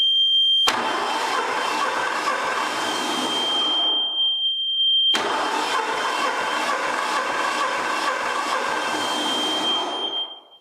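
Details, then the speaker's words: Hatz single-cylinder diesel in a pad foot packer, cranking with decompression lever pushed up: two long cranks with hissy whir and light beats about twice a second, never catches; decompressor stays held open instead of releasing. "wow there's something wrong there this decompression lever like any decompression lever is going to lower the compression on the well the compression stroke to make it easier for it to crank"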